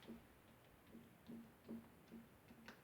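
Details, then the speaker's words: 1993 Kawai keyboard, circuitry once soaked by spilled beer: irregular dull clicks about one per second from the keys in a quiet room; a sticky rubber contact pad. "you can hear it I got a sticky one so what I'm going to do is these pads actually just come up"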